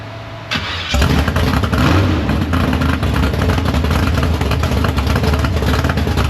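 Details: Big-block Chevy V8 in drag gasser, first fire-up after sitting, running a downjetted 750 carb: brief crank, catches at once, loud steady lumpy idle with no knocks; normal start and idle.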